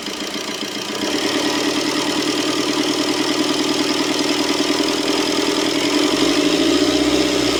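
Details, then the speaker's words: Tata Vista after cylinder head work: engine catches and settles into steady, even idle with no stumbling or missed beats, no missing complaint; normal idle. "இப்ப பாத்தீங்க ஸ்மூத்தா ஓடுது, ஒரு missing complaint sound எதுவுமே இல்ல பாருங்க."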